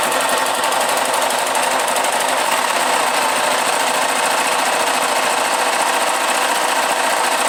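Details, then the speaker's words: Roughly 2002–2003 KSZ motorcycle single-cylinder engine running with the clutch removed: harsh, fast metallic rattle and rumble (ronco) from a worn crankshaft bearing, which also rumbled when turned by hand. "aí olha só como ela já ronca aí nós vamos ter que abrir tá porque esse rolamento aqui tem que tirar para lá mesmo"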